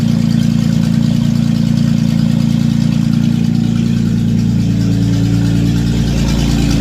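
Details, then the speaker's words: Datsun 280Z on its first start in years, very loud, deep, steady idle with a raw unmuffled bark on every firing pulse; no exhaust fitted, running straight off the open manifold. "as you can hear there's no exhaust it's just an open manifold"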